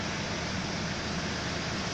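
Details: Hyundai H-1 van, 135,513 km, engine idling, air from middle second-row vent after replacing failed electric fan, drier filter, AC compressor clutch bearing and compressor oil: steady even rush over quiet idle, smooth blower; cabin 8.9°C vs 33.9°C ambient, normal airflow.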